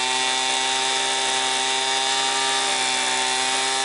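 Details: Homelite Mighty Lite 26B two-stroke blower with new aftermarket carburetor, after adjusting the pie-shaped carb screw: steady high-pitched buzz at wide open throttle with no surging or sag; running clean and strong, though the gas cap leaks slightly.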